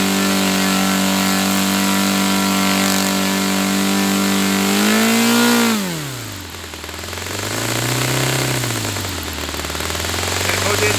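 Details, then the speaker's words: Saito FA-300T twin-cylinder glow engine, glow driver off, needle set 2.5 turns out, with a sticky throttle linkage. A steady, even buzz holds speed, drops back smoothly and picks up again. Both cylinders are firing cleanly: normal running. "Both are firing now. Okay, so both cylinders were firing then. It was sounding good."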